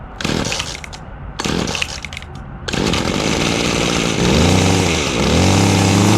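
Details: Weed eater FL 25, over 30 years old, carburetor never changed or cleaned, run on fresh TruFuel after sitting idle. It catches after a few rough bursts, then holds a steady buzzing run and revs cleanly, sounding healthy.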